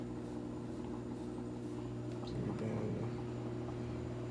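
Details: Samsung top-load washer, run empty, off-balance complaint from previous owner: steady low hum building slightly as drum speeds up, no banging or knocking; normal balanced spin.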